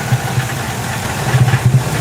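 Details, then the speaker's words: Ford E-150 V8 with P0340 cam position sensor code, power-braked under load, running rough: deep bassy rumble stumbling with uneven low thumps, believed misfire; cam sensor waveform looks good. "You hear that? It sounds kind of like bass. I believe that's a misfire."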